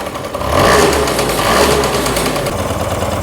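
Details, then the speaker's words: Freshly overhauled Honda Lead AF20 two-stroke scooter, just after its first start, carburetor not yet tuned: crisp blips rise and fall cleanly with the throttle, with no knocks or rattles underneath. Normal revving. "Будемо потрошки газувати."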